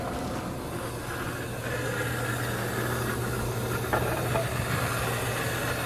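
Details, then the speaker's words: Athearn GP40X model locomotive at 50% power, pre-owned, before oiling: small motor whirs steadily with a low hum and dry, rattly gear buzz; drive running dry, needs oil on bronze bearings. "She must be dirty. Oh, she's not doing so bad. Definitely sounds like she needs some oil."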